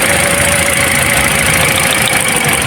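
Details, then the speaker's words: Toyota Altis shaking and low on power, cylinder drop test pulling coils one by one (number one gave no reaction): loud steady idle that stumbles and changes tone when this coil is lifted, so this cylinder fires and its coil is good. "Ano wala walang reaksyon dapat pag-angat ay maririnig niyo ang lagatak tulad nito. Nagbabago ang tunog buo."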